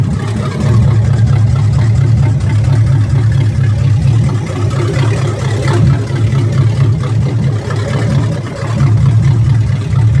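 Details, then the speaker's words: 1991 GMC Sierra V8 rebuilt and swapped from TBI to carburetor with new heads, cam, pushrods, roller rockers and timing set, after fuel and one-tooth timing correction: cold start, deep even rumble with slight swells, no stalling, misfire or ticking; running properly. "oh that's that cold start for you right there"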